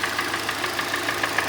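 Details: Hyundai Elantra restyling, 1.8 G4NB engine, automatic, front-wheel drive, 173,000 km, began knocking in winter: sharp metallic knock about six or seven per second at idle; scuffed piston with worn rod bearings.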